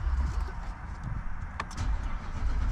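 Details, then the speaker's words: Infiniti QX80 (2011–2024 QX56/QX80 family, group 27 battery) on a cold day, cranked before battery replacement: starter drags through slow, heavy turns for a couple of seconds before catching; slow cranking from a weak battery, estimated under 40% life. "Yeah, that kind of took a little bit. Let's replace the battery and see how she starts up afterwards."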